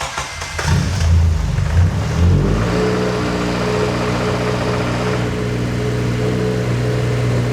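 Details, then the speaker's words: 8th-gen Civic Si (FA5/FD2 conversion), first start after K20Z3-to-JDM K24 swap, coolant possibly not yet added: short crank, catches at once, brief rev, settles to steady, even idle with no knocks or ticks; healthy. "That like fired right up. What do you think? Sounds good. It does. Sounds healthy. That started up way better than I anticipated."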